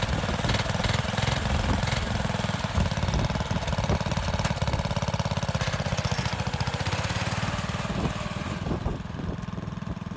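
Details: MTD lawn mower (off-road mower build) small single-cylinder engine running steadily at a fast, slightly uneven beat, easing down near the end, just after spark was restored; firing and running normally.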